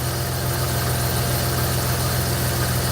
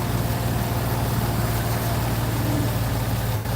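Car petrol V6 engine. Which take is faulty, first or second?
first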